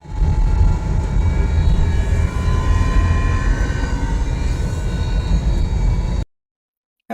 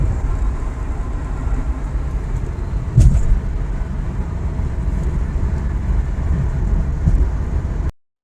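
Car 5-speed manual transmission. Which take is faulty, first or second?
first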